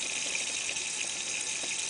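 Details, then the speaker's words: Volvo V50 leak-down test, ahead of head removal for gasket and valve replacement: steady airy hiss with fizzing crackle as brake cleaner sprayed at the port bubbles, showing intake valve leakage; cylinder holds moderate pressure around 20 psi. "so the intake valve is letting some air too the pressure in the cylinder is moderate"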